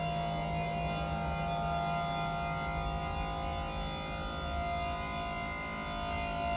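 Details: Vestner Ascensa 340 platform lift, recorded under the platform: steady high-pitched squeal over a low motor hum while the platform travels; loud running squeak from the lift.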